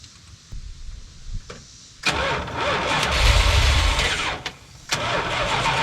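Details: Early-1980s (81–82) Dodge 1-ton truck, sat about two years, first start attempt with carb/choke cleaner sprayed in: slow cranking that catches briefly and roars only on the spray, then dies; no start, out of fuel.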